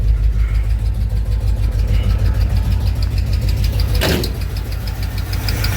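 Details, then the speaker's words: Chevrolet K5 V8 with Muncie 4-speed compound low, first test fire and warm-up after topping radiator with water: even, rapid flapping slap riding the idle firing rhythm; owner hears drive belt whipping, suspects it, not confirmed. "Everything looks like it's still on there, but it's hard to tell from here. I do hear it whipping a little bit."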